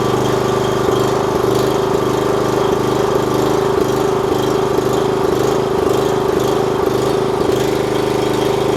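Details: 4 kW generator under repair, running unloaded on test: steady, even drone with firm hum and regular light tick, holding stable speed without hunting; output reads 52.3 Hz at 250 volts, slightly high.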